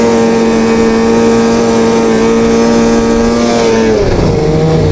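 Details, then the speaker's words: Two-stroke snowmobile after cleaning dirty power valves that caused high-rpm bogging: crisp high scream holding steady pitch at full revs, then easing off smoothly with no stumble; running clean and healthy. "Yes! My sled is back to normal. Can you believe it? I hope the camera caught that."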